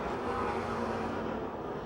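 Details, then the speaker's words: Race car of Mike Johnson (2J) on the last lap at Pennsylvania Motor Speedway, passing down the front stretch: ragged spitting, sputtering misfire as the engine dies, car soon stopped on track bringing a caution. "Mike Johnson has got a problem. You can hear it spitting and sputtering as he comes down the front"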